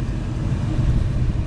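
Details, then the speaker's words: Car cabin A/C blower motor behind lower glovebox at full speed, reinstalled; steady, even low whoosh with no rattle or wobble, much quieter with less vibration. "a lot more quieter now vibration is not as bad you could definitely hear the difference major improvement"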